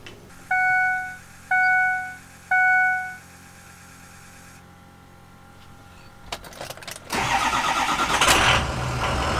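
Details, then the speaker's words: 2005 Ford F-250 6.0 Powerstroke diesel with a newly installed AFE Momentum cold air intake (dry filter): three dash chimes, then it cranks and catches into an even, steady idle with no misses; it sounds no different than before the intake. "Don't really sound any different here. Shouts out MBRP."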